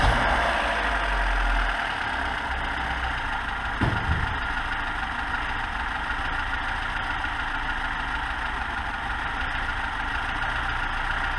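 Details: VAZ 2106 carburetted engine that idles unevenly and periodically stalls: uneven, hunting idle with a loping beat and a stumble around four seconds; rough idle from a clogged carburetor idle channel.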